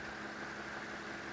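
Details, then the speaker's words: Restored Murli electric fan from the 1930s–40s; steady motor hum under soft air rush, bearing noise audible at start barely heard once up to full speed, normal running. "ça c'est le bruit de roulement mais une fois qu'il est bien lancée on l'entend quasiment plus"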